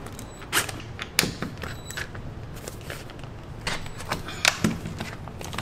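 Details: Interior door that stuck and squeaked, after tightening loose hinge screws: door swings with soft latch clicks and only a faint brief creak, no sticking or loud squeal; hinge working normally now.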